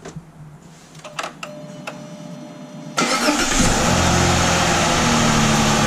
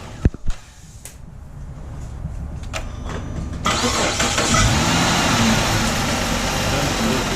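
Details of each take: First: 2007 Chrysler 300 3.5L V6 on a cold morning, after a new starter and a fixed ground; after faint clicks it cranks strongly, evenly and fast at about four pulses a second, no longer dragging slowly as before. The starter is now healthy. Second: 2007 Chrysler 300 3.5 L V6 with good battery and charging, on a cold morning: slow labouring cranking at about three and a half beats a second before it fires; starter dragging, later replaced.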